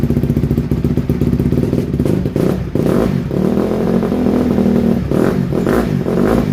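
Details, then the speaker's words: 2007 Honda CRF150R single-cylinder dirt bike after reassembly, choke off: steady thump with throttle blips, clean pickup, no misses; runs well once warm, though the carburetor still needs fine tuning. "no it don't want no choke it's just cold right now once it warms up it runs really good"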